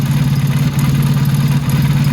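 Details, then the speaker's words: Motorcycle carburetor being tuned with a Colortune plug. Idle mixture screw set back to 3 turns out and the blue flame has returned. Even, steady low idle with a firm, regular, more syncopated beat and no stumbling. Mixture properly set. "Light's starting to sound a lot better, a lot more syncopated. That blue color's returned."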